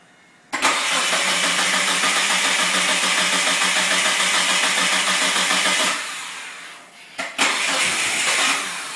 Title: Talon hard starting